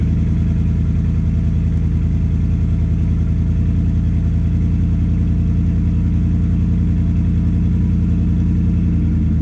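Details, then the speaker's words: 2010 Ford F-150 V8, cold start on the stock exhaust before a cat-back install: a loud, deep, throaty idle pulse far too raw for stock, from a big hole or crack leaking somewhere in the exhaust. "there's definitely a big hole or crack somewhere in the exhaust right now"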